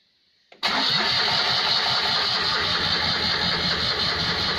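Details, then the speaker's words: Rebuilt Citroën 2CV engine converted to 652cc, with no exhaust fitted and not attached at the front of the chassis, cranked on the starter with only the ignition light wired to build oil pressure; brisk even cranking, no firing, loose rattling. "we are not trying to start the engine all the one to do is make sure it has oil pressure so all I've done is wire the ignition light"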